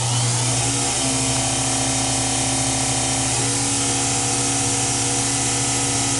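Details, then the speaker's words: Acroloc CNC converted to Mach3, original Getty spindle and speed control via VFD, switched to high range: steady high-pitched whir with even motor hum; smooth and healthy. "I can control the speeds based on input hear it ramp up now I can change the high range sounds a little"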